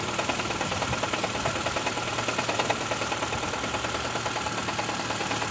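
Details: Engine idling quietly during oil pressure test on a 2012 Toyota Prius 2ZR-FXE: a steady light knock at a bit over two per second. Pressure reading reaches 60 and then drops slightly. Knock cause unconfirmed.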